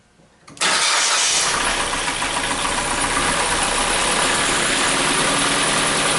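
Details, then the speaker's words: 2011 Ford Fiesta after new spark plugs and wires: starts with a slight stumble from dry new plugs, then settles into a steady, even, smooth idle with no misses; normal idle. "Once everything got wet, everything balanced out. It's nice and smooth."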